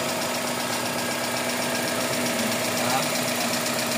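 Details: Toyota Corolla GLi 4A-FE engine at steady idle: light, quick ticking about two taps a second; loose valve clearance needing shims across 12 valves, no sub-gear noise heard.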